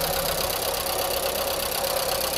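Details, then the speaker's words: 1989 VW Fox abandoned for years, running after fuel system rebuild, has fuel leaks and trouble idling: busy clattery top-end chatter over uneven idle; oil low but on dipstick, judged a noisy valve train, cause not confirmed. "Yeah, we got a oil. It's just a noisy valve train."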